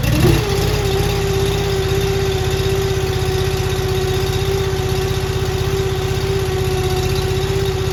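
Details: Honda iGX800 EFI engine on a Wolfe Ridge 35 SHO log splitter after replacing parts: catches within a second and settles into a steady, even idle with a regular low thump; running healthy.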